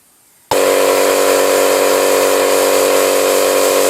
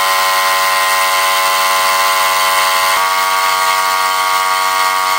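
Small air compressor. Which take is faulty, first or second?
first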